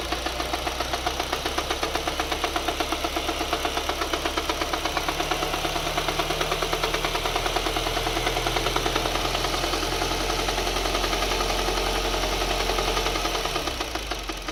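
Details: 2011 Mini Cooper at just over 100k miles, full synthetic oil, mostly highway driven: steady, pronounced knocking at idle about three per second until shut off, worsening over two more miles of driving; possible rod knock suspected.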